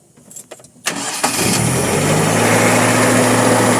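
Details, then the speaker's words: Nissan C22 Vanette with an upgraded electronic ignition; the owner raised the timing to stop it dying with the aircon on, which makes gear changes hard and fuel use heavy. A quick crank catches into a fast, steady idle that never drops, from over-advanced timing. "Punya tinggi timing. Jadi kita cari jalan mudah, dia tinggikan timing."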